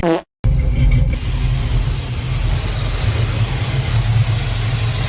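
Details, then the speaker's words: GM car started after an oil change, needing a little choke to stay running: steady even low rumble with no stumbles or misses; idling very smoothly, though owner says it needs a tune-up. "running actually very smooth very smooth"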